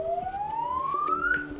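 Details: Samsung Galaxy S20 Ultra hardware test mode, receiver (earpiece) test: a clean tone sweeps steadily upward in pitch, clear and undistorted, so the earpiece speaker is working properly.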